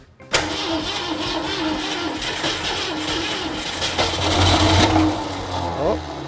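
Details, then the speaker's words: 1965 Ford Mustang coupe, start attempt after adding more power ("more juice"): starter churns, engine catches with a few ragged bursts and a short rev, then dies; cranks and fires briefly but won't keep running. "She wants to live… it was close." "Oh, she wants to live. More spritzy. It was close."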